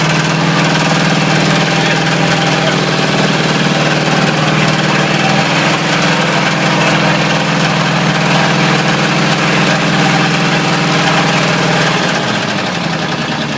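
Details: Ford 351W V8 with a spun rod bearing, abused until it dies: rough, irregular knock on the exhaust at idle, roughly three a second, settling slightly near the end; rod knock.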